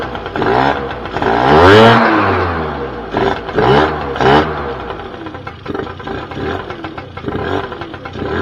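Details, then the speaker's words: 2006 Keeway F-ACT 50 two-stroke scooter fed from a weed-whacker fuel tank: buzzes and climbs in sharp revs, dropping back and catching cleanly each time; runs and revs, though carburetor and vacuum lines still need sorting before it idles right. "it's running off of a uh a weed whacker tank so i think that's a win"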